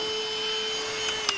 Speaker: It still works perfectly fine. You can see it vacuums fine.